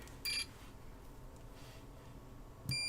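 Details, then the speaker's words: Apple HomePod board, multimeter test on diode with date code 1748K: two clear continuity beeps, the second held steady; the diode is shorted and dead, to be replaced. "indeed that is dead so let's get it replaced"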